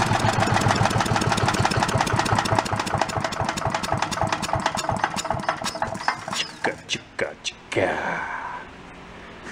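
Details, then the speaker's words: Late-70s/early-80s Giant Vac walk-behind leaf blower engine, a garage-sale find: it holds a steady fast beat, then sputters into a few uneven pops and dies dropping to idle, because the carburetor's idle circuit isn't delivering fuel. "so it doesn't have an idle circuit that means when it goes down to an idle there's nothing there there's no fuel going through here just fall flat on its face"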